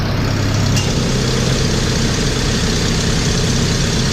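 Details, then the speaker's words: Jeep at normal idle with the engine-driven onboard air compressor switched on: steady, even low rumble with no knocks or misses; the gauge climbs slowly to about 20 psi before the throttle is raised to 1,700 rpm. "so I just kicked the onboard air on right now and the uh the gauge is moving very slowly you'll see it's uh just up to 20 lbs right now"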